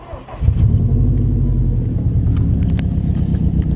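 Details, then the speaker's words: Subaru STI at idle: engine catches and settles into a lumpy, uneven rumble with irregular stumbles; scanner shows cylinder 4 roughness climbing at idle only, owner fears a cracked cylinder 4 piston; idle misfire. "so you can see there my roughness is cylinder four is just climbing and climbing and climbing at idle"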